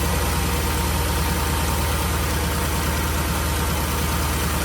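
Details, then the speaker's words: Porsche Cayenne after an auxiliary belt tensioner change and retightening loose water pump bolts: steady, even idle with a smooth low rumble, the previous loud belt squeak now gone. "Let's go for a quick start and see if it's stop that noise. That sounds good."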